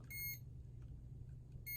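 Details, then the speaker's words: Dual range voltage tester held near a live electrical source during ceiling fan 3-way pull chain switch replacement: two short shrill beeps over a low room hum, indicating voltage present. "we're going to put it up to the anywhere where there would be an electrical current and if it beeps that means there's electrical current now"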